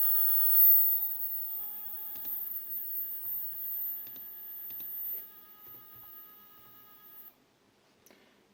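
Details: 3D printer stepper motor, one of a pair used before on the X and Y axes, run on its own at the feed rate returned to 1000: faint steady tonal hum at constant pitch, then a clean stop; normal running.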